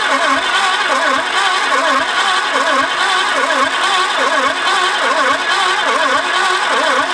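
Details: Peugeot 505 GTI cold start after sitting 14 years: the seized starter was freed by banging and fuel pressure is present, but the throttle is solid. Steady starter churn, about seventy pulses a minute, never fires; cranks but won't start, owner suspects no spark.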